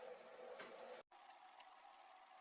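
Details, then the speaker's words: 1999 Sony VAIO floppy drive loading the Linux initramfs from a BusyBox boot floppy, still in the bootloader: quiet whirring spin with a mid-pitched buzz, a brief gap and light ticking seeks; drive reading normally. "now it's loading the initramfs from the floppy disk. This is still the bootloader."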